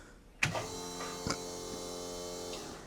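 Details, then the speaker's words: 1969 Chevrolet C-10 restomod, first fire-up: after a click a thin steady electric fuel pump whine about two seconds then cuts off, sounding dry before fuel pressure builds while priming. "cuz it sounds like it's dry. Oh, there it goes. We got fuel pressure now."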